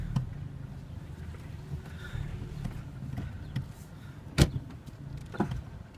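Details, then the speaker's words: 2011 Hyundai Elantra: low rolling rumble then a couple of dull single clunks about a second apart when turning while moving, including in reverse, none when turning stationary; source unknown. "making a clunking noise not really sure what it is um it seems to happen when I turn and move"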